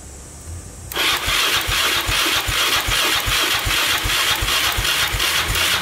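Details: 2002 Yamaha Raptor 660 after timing chain and bent valve replacement, choked, first start attempt: starter grinds at about two and a half even thumps per second, too slow to fire; charger not turning it fast enough.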